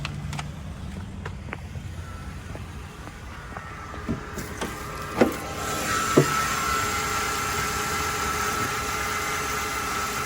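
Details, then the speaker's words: 2005 Mercedes CLK 320 after the shop replaced a malfunctioning EGR valve and gasket that caused rough, shaking idle: steady, even idle hum with no stumble, a few clunks and a window motor around it; idle now smooth. "so they just totally replaced the EGR valve and the gasket and that did the trick it idle was perfectly smooth now give you a shot of the engine"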